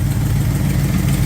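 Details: Engine after distributor advanced and initial timing reset to about 10 degrees, previously retarded and overheating: even, steady low idle rumble without stumbles or misses; normal idle.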